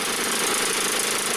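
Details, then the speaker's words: Snow blower small engine that previously only ran on choke, after carburetor cleaning, with fresh fuel: holds a fast, steady buzz at open throttle without stumbling; carb delivering properly. "and now you can really tell the difference as I move it between choke and open th uh there's a significant difference in how much power you can hear the engine running"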